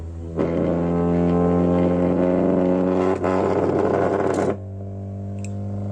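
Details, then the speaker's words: ZAPCO ST-1000XM-III mono block car subwoofer amplifier after water damage, rusted resistor cleaned and washed in petrol: sub-bass 20–200 Hz test tone holds steady without crackle or cut-outs as gain rises; working normally. "So இதில் test வந்து நான் இப்போது sub base ultra deep பேஸில் கொடுக்க போகிறேன். Okay, இப்போ 20 to 200 ஹெட்ஸுக்கு போகும்."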